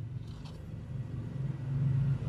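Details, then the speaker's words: Sanyo one-door fridge, not cooling though light on, compressor switched on after repair work: low steady hum builds then settles smoothly with no clicking or stalling; compressor not seized, starts and runs normally. "teman-teman Ya alhamdulillah mesin kompresornya nggak macet"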